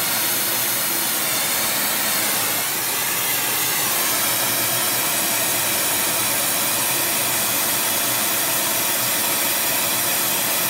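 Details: Airproducts Integra oxy-acetylene cylinders with built-in regulators and small mixer welding torch, pressures set by ear: steady even roaring hiss, no popping or sputter; stable, normal flame.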